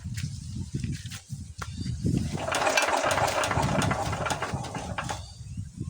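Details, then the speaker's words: Diesel engine that won't start: irregular chuffing cranking beats with a brief rough burst that never settles into running; the nozzle still sprays but weakly, and the worn injection pump delivers too little fuel, so it is being replaced. "guys so yan guys kung nak niyo bumubuga pa naman siya pero mahina na So hindi guys nus ang problema niya kundi yung kanyang pump kasi maluya na siya magpump ng fel oil ng kudo"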